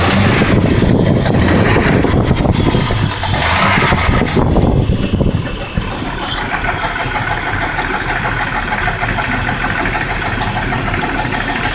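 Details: Jeep Grand Cherokee WJ 4.0: after a rough start the engine idles steadily with a light, uneven clacking from the engine bay, about three per second; cause unclear.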